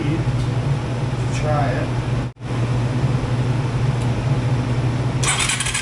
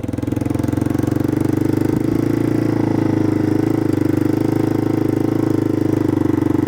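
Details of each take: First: Yamaha 225DX three-wheeler, started with a jump pack, runs rough and uneven, drops out midway, then limps on and won't stay running; carburetor problems remain. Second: Yamaha 225DX three-wheeler running cleanly and evenly while ridden through the gears after the factory carburetor was repaired, replacing an aftermarket carb that never ran; it started and idled without choke, and first through fourth gears all work.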